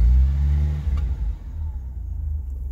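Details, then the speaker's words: 1979 Honda Civic 1200, original, warm after about a mile of driving: deep hollow blat on rev falling to a loose uneven idle rumble; muffler in poor shape, owner suspects a plug or wire needs replacing and tune-up due. Worn muffler. "she does run she runs good there's it sounds like there is probably a plug that needs to be replaced or a wire the whole setup but she that's that muffler that's not most healthy of shape"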